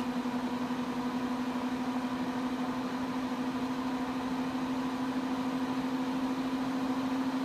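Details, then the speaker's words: Mac Pro 1,1/2,1 with 48GB of 8GB DIMMs during a benchmark: steady loud whooshing hum, constant mid-pitched tone, fans maxed out with no custom fan curves (fan-control app only monitoring); temperatures a few degrees cooler, fans pinned. "we're ramping up more they're still rampant and the temperatures are still a few degrees cooler the fan to match the fans are maxed out"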